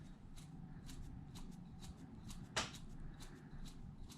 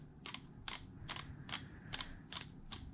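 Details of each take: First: Traxxas Wide-XMaxx reference motor, turned by hand for comparison with an 8-year-old motor that has a bad bearing: even, light ticking about twice a second with no grinding or roughness. A healthy motor. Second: Traxxas Wide-XMaxx 8-year-old motor, removed and hand-spun: a sharp dry click about twice a second with each turn. The front bearing was suspected; teardown found the bottom bearing shot. Worn motor bearing.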